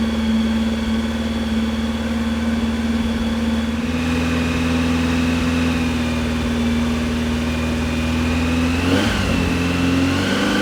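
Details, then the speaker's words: Brand-new 2332cc air-cooled VW Manx buggy engine, dual Weber carbs, on startup stand, first break-in: steady even note stepping up to smooth hold near 2,000 rpm, no knocks or misses; healthy fresh engine. "We'll get it up to about 2,000 RPM, and we'll let it run there for about 15-20 minutes just to break it in."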